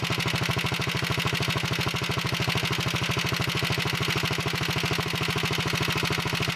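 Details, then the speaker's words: 1961 Wheel Horse model 401 tractor, small single-cylinder engine started cold on full choke after setting the point gap: even, steady beat about 158 per minute with no misses or knocks; sounds pretty good, smokes a little on throttle. "sounds pretty good i'm gonna move the camera so you can see it smokes a little when you give it gas sometimes those things clear up when you run it some"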